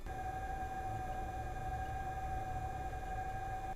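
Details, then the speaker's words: Toyota hybrid with 2.5L engine, recorder inside the engine compartment: with engine off at low speed, a steady ghostly electronic tone with soft hiss over quiet road noise, the pedestrian alert sound working normally. "And that is that pedestrian alert system. And you'll hear that come on after the engine shuts off, especially when I'm slowing down just because it only makes that noise below certain speeds."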